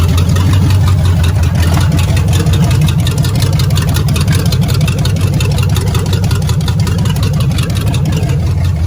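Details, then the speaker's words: Old V8 at idle: deep rough rumble with a steady knocking pulse heard in the passenger-side exhaust, engine not looking good and being swapped out. "definitely passenger side you could hear it in the exhaust knocking with not looking good"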